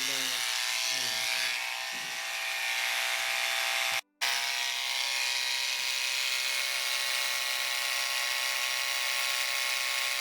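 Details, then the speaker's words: Wahl Lister Stablemate livestock clipper after cam bearing and gear replacement, blade tension five turns back: steady high buzzing hum with no rattle or bogging, blade staying cool; running healthy. "and at five five turns back this blade's not even warm at all"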